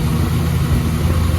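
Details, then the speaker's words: 1966 Chevrolet Bel Air after water pump replacement (old pump had growing shaft play), coolant topped off: smooth, even low idle rumble with no ticking, squealing or knocking; earlier periodic engine bay noise gone; normal idle. "So I'm going to top off the coolant, let it run for a minute, and keep an eye on it. Hopefully there's no air bubbles. Well, everything sounds good."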